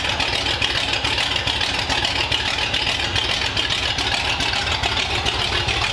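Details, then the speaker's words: 1932 Ford Roadster engine running in the car for the first time since about 1953, with modified headers and pipes under the car: a steady, even exhaust burble at about two pulses a second with no knocks or misses; a healthy idle. "nd it sounds healthy it sounds awesome I know we ran it on the Run stand but having it in the car with the pipes going down under the car it sounds awesome and it just idles really really well"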